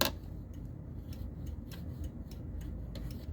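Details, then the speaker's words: Data East Star Trek pinball playfield during reassembly: light, crisp ticks as a ball rolls over a newly fitted rollover switch, which clicks normally. "hear that is clicking perfectly okay so i think that's going to work"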